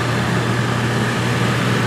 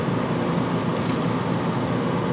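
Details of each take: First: Coachmen Wyoming fifth-wheel, rear rooftop A/C: blower roars steadily with a hum but air blows out of what should be the intake, with poor airflow and excess condensation; owner later finds added ductwork. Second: Coachmen Wyoming 5th-wheel rear rooftop A/C after taping off the intake recirculation, for excess condensation and weak flow: steady, even rush of air over a low fan hum, no rattle or surging; strong, healthy airflow throughout.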